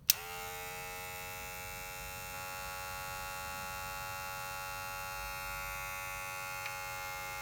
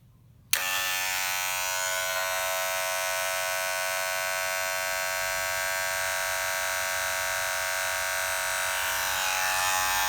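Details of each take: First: Cordless rotary tattoo machine running: a soft, steady electric buzz that switches on and holds one even pitch, quiet. Normal quiet running. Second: Cordless tattoo machine running with a loud, harsh, steady buzz, far noisier than it should be; replacing the circuit board does not necessarily fix such noise, and it measured 80 dB against 63 dB for a quiet one.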